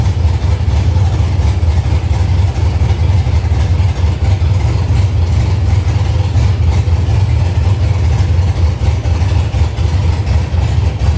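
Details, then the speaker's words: 1965 Chevy C50 truck with a 12-valve Cummins and 5-speed manual, running untuned: a deep, steady rumble with an even beat and no knocks, ticks or misses, sounding healthy. "We got to hear it run, but Brian's got some fine tuning and stuff to do, so we are going to actually get out of his hair, get back over to our shop, and hopefully get some stuff done over there today also."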